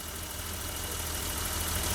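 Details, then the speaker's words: 1988 BMW 325i running after six years sitting, once the seized fuel pump was replaced: quiet, smooth idle with a steady low hum and no ticks, knocks or misses. Slight smoke is from oil dripped on the exhaust manifold. Healthy. "Wow, that sounds smooth. Oh my gosh."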